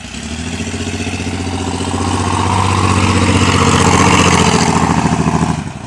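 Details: Chevrolet S10 truck idling and revving. A steady, even knock about four per second rises over the idle and swells with revs. Suspected rod knock, not confirmed; the engine then appeared to lock up.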